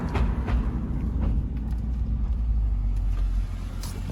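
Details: Car driving on the road with heavy road rumble and sharp, irregular clunks from underneath. This is after replacing the passenger lower control arm (with ball joint) and a broken rear sway bar link. The suspension clunk's source is still unknown.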